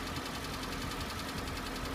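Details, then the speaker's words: Hyundai ix35, 2.0 L 150 hp, 74,000 km, over 3 years old and under warranty: steady cold-start idle with a fast, even light knocking that lasts about 25–30 seconds then fades; cause unknown, going to the dealer. "Вот звук пропал. Примерно 25-30 секунд стучит."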